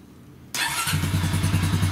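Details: 2006 Honda Rancher TRX350TE ATV after replacing a leaking carburetor (stuck float leaked gas from lower vacuum hose) with a new assembly, carb not yet adjusted, low battery on charger: starts within half a second into an even, steady idle, no stumbling; normal start and idle.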